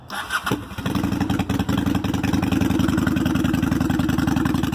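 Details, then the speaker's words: Honda Shadow V-twin with new Cobra Drag Pipes, baffles in, gaskets not yet heated; cough and catch, then quick even lope settling to steady deep idle. Normal startup and idle. "But we're about to fire up and see how she sounds. This is with the baffles in."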